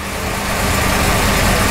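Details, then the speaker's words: Warm 383 small-block Chevy V8 with Holley EFI, coolant enrichment at 100, IAC at zero: fast hunting idle around 1000–1100 rpm versus 810 target because the throttle blade is open too far, leaving the IAC no control; fix is lowering the stop screw. "our target is 810 so that means that the throttle blade is too far open and the iac has no control"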